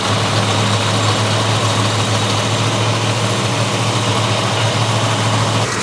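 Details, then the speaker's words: 1957 Chevrolet Bel Air, former trailer queen back on the road: deep, steady idle with an even low rumble, no ticks, knocks or misses; normal idle. "That sounds good."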